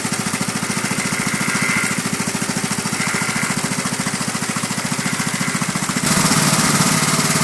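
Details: Lawn tractor with a Briggs & Stratton 31Q777-0215-E1 single cylinder, first start after repairing a cylinder head whose valve seat came out, with valves set to 0.005 in and a slightly low battery: a steady, even thump at about 3.5 beats a second with no misses or knocks. Normal running.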